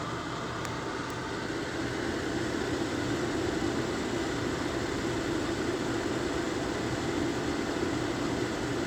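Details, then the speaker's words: Lasko 1500 W, 12.5 A electric fan heater: clicks as it switches from 750 W low to 1500 W high, then a steady, even rush of fan air with a low hum and no rattles; running normally. "so when we turn it back that's burning on 750 watts when you hear that clicking then when you hear it clicking again so now we're burning 1,500 Watts"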